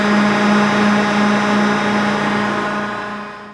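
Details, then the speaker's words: John Deere green F12-090 hydraulic motor returned for a customer-reported squeal, bench run at 2,000 rpm with no load: smooth steady hum at constant pitch, no squeal or rattle, then even spin-down; normal. "That's normal. That was 2,000 RPM. No load."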